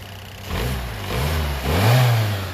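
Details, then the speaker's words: 4x4 Fiat Panda revving smoothly after a popped-off spark plug wire was pushed back onto the coil pack; smooth exhaust in even, rising surges, no more popping or stumble. "that's a lot better we got smooth exhaust look at that no more popping"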